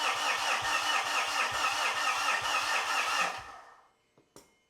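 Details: Mitsubishi Fuso FG diesel, just after injector teach procedure: starter cranks at a steady two beats per second but it never catches and falls silent; crank no-start, no fuel pressure with injectors connected.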